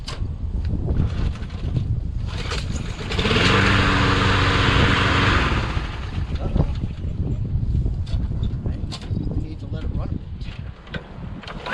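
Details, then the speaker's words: Craftsman rear self-propelled mower, auto choke, no primer, stored all winter with leftover gas: it fires, runs roughly about two seconds, then stalls. The owner suspects ethanol-spoiled gas, a clog or low compression. "it wants to keep going i had a little bit of gas still left over from last summer and maybe that turned into some ethanol there might be some kind of clock but that maybe it has bad compression maybe not"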